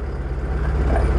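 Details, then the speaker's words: Proton Wira stumbling (semput) when hot after about 5 minutes of driving, unstable engine: low lumpy idle pulsing unevenly; misfire traced to a leaking ignition coil sparking. "Kereta Wira ni ada masalah semputlah. Bila kita bawa laju ataupun bawa dalam 5 minit, enjin dah panas, dia macam jing semput eh."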